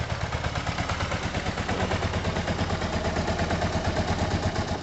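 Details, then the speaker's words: Yamaha TMAX scooter after carb clean and jet check: lumpy, slightly uneven idle with light clatter that won't take throttle or pick up revs; cause not confirmed; engine will not rev. "Nah, it won't let you. Won't let you put any revs at all."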